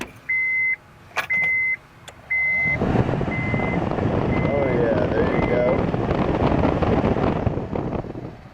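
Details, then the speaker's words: Honda blower fan after blower motor resistor block repair and reinstall, key on: steady airy whoosh comes up after chimes, holds even, then eases off as the fan is switched off, working as it should; normal blower fan operation. "Doing exactly what it's supposed to do. Fan's off. So now at that point, you know it's working."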